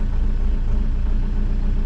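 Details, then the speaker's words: Heavy machine with a diesel and 5,500 hours, started in cold weather at auction after a brief stammer; settles into a deep, steady, even idle and smooths right up with a little throttle, no misfire or knock: normal idle. "that's pretty nice give her a little throttle oh smooths right up oh yeah i like that this thing sounds good"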